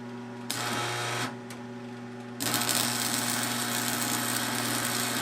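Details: Restored Montgomery Wards Powr Kraft 240 V, 230 A stick welder (1982 date code) with a 6011 5/32 rod, moved off the metal plate that made it vibrate. A steady transformer buzz with an even, crackling arc sizzle; it runs normally.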